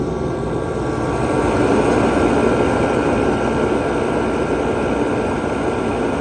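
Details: 140,000 BTU Mr Heater fan-forced diesel heater, a few years old with heavy mouse damage, after cleaning, fuel pressure about 6.5 PSI: steady, even roar of fan and burner flame with no surging, popping or sputter, a good steady blaze.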